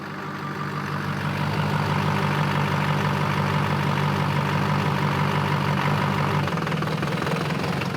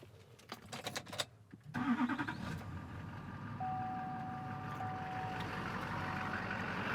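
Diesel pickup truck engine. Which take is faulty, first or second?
first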